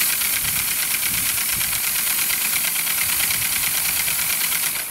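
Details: 1978 Hornby G100 Stephenson's Rocket 3½-inch gauge live steam locomotive, 44 years old and never steamed, running on compressed air at first test: fast light chuffing, about three beats a second, with steady airy hiss; runs freely and sounds fine.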